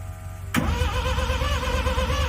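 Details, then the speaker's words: $1000 Mazda RX-7 with 12A rotary engine, warm restart: quiet, then a sudden catch into a lumpy, uneven idle; hard warm restart, reluctant to fire. "Oh wow, it really didn't want to start after that one."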